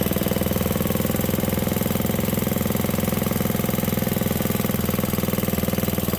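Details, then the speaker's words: 1967 Briggs and Stratton 6 hp single-cylinder engine on premix fuel runs at a fast, even, steady putt-putt without misfires or knocking; running well, fuel not yet out. "that sounds pretty good did we run it out of fuel yeah there's still a little bit in there"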